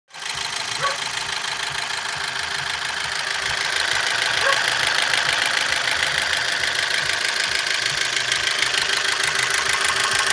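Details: Opel Z16XER engine after timing belt jumped while driving and was refitted to marks; steady fast ticking knock about two per second over smooth idle; cause unknown.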